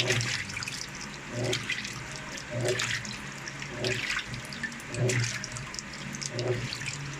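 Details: Panasonic automatic washing machine after a coin-clogged drain was fixed: steady water pouring in with soft sloshing about once a second and no draining gurgle. It fills normally and no longer dumps water out.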